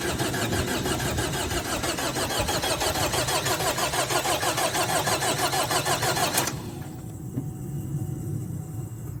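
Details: 2012 Chevrolet Cruze 2.0 diesel: even cranking at about three turns a second for six seconds with no firing at all; crank, no start (later fixed).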